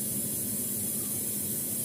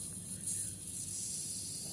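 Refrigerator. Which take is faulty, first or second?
second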